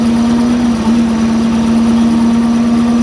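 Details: 1989 boat with a 3.7 L MerCruiser inboard, number one rod bent from an old hydrolock (later rod knock), restarted in neutral with the blower off: steady, even hum with a smooth low pulse, no misses or knocks. Normal idle.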